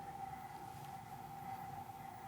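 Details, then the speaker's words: StepperOnline NEMA23 180W 3000 rpm easy servo for lathe electronic leadscrew, bench test: stiffness gain raised to 12, motor tone changes to a thin steady high whine over background hiss; stiffer, whine grows at higher gain. "so there's 12 and i just heard the tone of the motor change it's much more it has this a little bit of sound"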